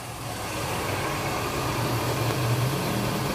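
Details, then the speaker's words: Corsa Sedan Classic running on alcohol, started totally cold, idling with a rough, steady rattly rumble from a worn clutch release bearing; the water pump is also leaking. The clutch kit and the belt, tensioner and water pump kit are to be replaced. "Olha aí para vocês ver bomba d'água e a parte aqui também da embreagem também tá ruim zona viu rolamento dele tá feio"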